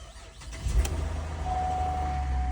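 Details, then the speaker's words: Copart "flood" Cadillac SRX with 106,000 miles, water line only at the exhaust, first start: starter catches and the engine settles into a low, steady idle with no knocks or misses, a healthy start. "This sounds great. We got drive."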